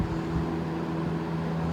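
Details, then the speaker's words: Vintage GE F12 W22 fan (3 amp, thought to be from 1966-67) after servicing, running on medium: steady low whir with a constant hum and strong, even airflow, with no rattle or scrape; healthy. "But regardless, let's step it up to medium and you'll hear what I mean by medium, high, and turbo. See, it's already blowing absolutely everything around."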